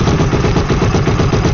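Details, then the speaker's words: Yamaha YFZ450R with freshly rebuilt engine (had a missing first-gear tooth), first start on choke: fast, steady single-cylinder thump, even firing with no knocks or misses; healthy warm-up idle until the fan kicks on. "so we're just going to let it run and heat up until the fan kicks on and then we'll shut it down check the oil let it cool down for a little bit and then we'll do another heat cycle"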